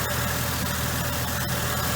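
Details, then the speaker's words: Mercedes W463 G500 with lumpy idle, being diagnosed for code P0444: a faint, quick, uneven tick at idle from the purge valve, which is normal. The air pump also runs at start-up. "they've got the two things that are always making the noise underhood your air pump when you first started or everyone's call just comes on to add extra air into the intake system and this ticking little purge valve"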